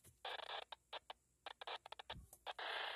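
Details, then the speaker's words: Baofeng handheld radio on an external antenna, squelch at level 9 and all settings, no one transmitting: short hissy bursts pop through at random, some half a second long; squelch opening on the noise floor with no signal. "once I use an external antenna I wind up with a noise or that's so high that it breaks the squelch on all of the settings and it's the same that you see right here"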